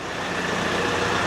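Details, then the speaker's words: Kioti RX7320 73 hp diesel tractor, owned about 2 years, brief start-up after oil change to fill the filter, not warmed up, no leaks: steady, even idle with no knocks, rattles or hunting; normal idle. "You're really not looking to run the thing and get it up to temperature. You just want to make sure that you have enough oil going through there and it fills up the filter and everything."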